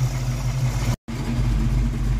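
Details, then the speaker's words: 1982 Ford Mustang GT after fixing driver-side header exhaust leak (90s Mac short-tube headers, H-pipe), heard from outside: steady, even low idle rumble, no ticking or puffing, much quieter; faint mechanical fuel pump eccentric click audible. "oh it sounds so much better from the outside so much [Music] quieter 360° walk around so much quieter"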